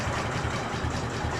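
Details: Dnepr MT-11 twin after rebuilding the cylinder head to cure a head knock, valve clearances slightly increased: even loping beat, about two and a half pulses a second, no sharp knock; sounds healthy.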